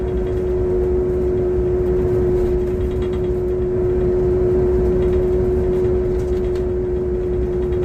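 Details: Transperth TP1422 bus on route 209 to Murdoch Station, heard from inside: a loud, steady whine at one pitch above the low diesel drone. Abnormal engine noise, cause unknown.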